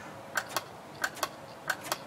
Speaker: That's a good switch. That means it's working. The diaphragm's not broken.